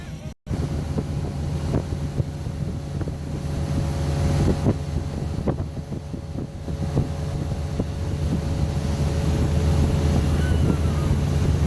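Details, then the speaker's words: 2006 boat with Mercury MerCruiser 4.3 inboard, underway on the river after the hot no-start repair: steady deep drone under wind and water noise, even note, no misses; running normally. "sounds like the motor's running pretty good so we'll have to take it out a few days on the water and give it a good run"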